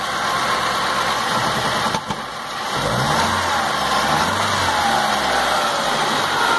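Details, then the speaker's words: 2006 Stratus 2.0 petrol with low power and shaking, heard at the exhaust; uneven stumbling idle beat, misfire. "falla bastante del rey no tiene fuerza vamos al escape entonces ahora sí que ahí se escucha verdad"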